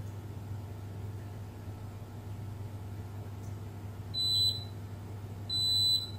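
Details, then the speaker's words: Beko WMB71033S washing machine control board that had been clicking with no display. Two high-pitched continuity beeps over a faint hum show the DC VCC supply bus shorted near the ATmega64A microcontroller. "hai tụ điện này vẫn có vấn đề gì đó chúng tôi bị đoản mạch trên đường dây nguồn DC"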